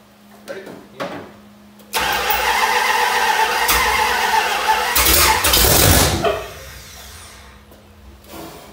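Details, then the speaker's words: 1973 Dodge Dart, first start after many years in storage, with a weak, run-down battery while the timing is set by turning the distributor: it catches, runs rough for a few seconds, flares up, then dies. It runs briefly, then stalls. "I'm trying to get my timing adjusted by turning my distributor and so what you just saw I had it up and running good"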